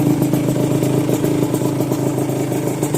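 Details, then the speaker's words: Yamaha VR two-stroke with TZ engine, run with no engine oil added and suspected carburetor problem: rough, unsteady idle, revs dropping slowly, loud rattly clatter from running without oil. "ให้ดังนี่ไม่ต้องตกใจนะเพราะว่าไม่ได้ใส่น้ำมันเครื่องนะครับเนี่ยนะรอบมันลงช้าไปหน่อยอ่าโอเคไอ้ที่กาวๆไม่ต้องตกใจเพราะไม่ได้ใส่น้ำมันเครื่องนะครับ"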